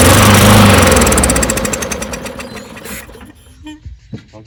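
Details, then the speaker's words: Non-running push mower being pull-started: loud, rapid pops that blow debris back out and die within seconds. It fires but won't run; nothing is being drawn through the carburetor and it is probably flooded. Rust behind the intake valve was suspected earlier. "yeah you could hear it popping and see it blowing crap out so it's not drawing anything through the [Music] carburetor at all probably just flooded it"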